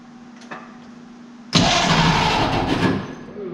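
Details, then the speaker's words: 1931 Oldsmobile F31 barn find on its first start attempt, with 12 volts fed straight to the starter from a cheater box and the choke open. Quiet at first, then a loud burst of turning and firing for about 1.5 seconds before it tails off. "we going to try 12 volts to the starter turn your key on and try"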